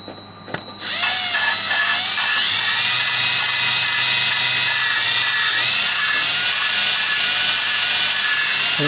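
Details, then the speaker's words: Intake valve from a 2000 Yukon LM7 5.3 engine being lapped on a drill with grinding compound at steady speed: a high drill whine with a gritty hiss that becomes less coarse and smoother as the valve seats in. "You can hear the grinding actually become less noisy or less coarse. It gets smoother. Tells you you need to check your valve."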